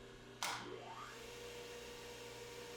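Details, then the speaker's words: Surface grinder on rotary phase converter, after fixing phase monitor problem that cut power: click then smooth rising tone as spindle spins up to steady hum without dropout; normal motor start-up. "and there's no problem at all with the spindle coming up to speed"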